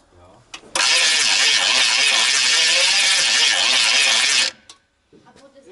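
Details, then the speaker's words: GMC Vandura van: starter grinds about four seconds with slow uneven pulse, engine never catches; weak cranking, a 24-volt starter mentioned; unconfirmed. "haben wir die Batterie direkt angeschlossen haben wir dann klingt kann natürlich sein unser Kabel die wir haben nicht mehr genug Saft bringen"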